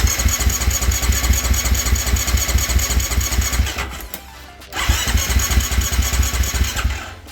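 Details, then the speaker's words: 2018.5 Husqvarna FC450 Rockstar Edition four-stroke, started on choke: chugs unevenly and cuts out twice before picking up; hard starting, rough running, bogging and decel backfire, with bubbles in tank suggesting fuel starvation to the carburetor, suspected, not confirmed. "all right well anyway that's the issue hard starts uh runs like crap"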